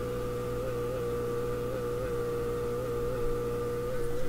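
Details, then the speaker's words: Philips Sonate BA581A valve radio while tuning: steady low hum with fixed buzzy tones and faint wavering hiss across the band; owner suspects computer hash or other household electrical interference, not confirmed. "okay so i'm pretty sure that's computer hash coming from something who knows what anymore"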